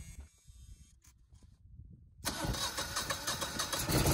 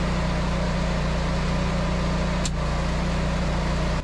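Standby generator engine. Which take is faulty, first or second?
first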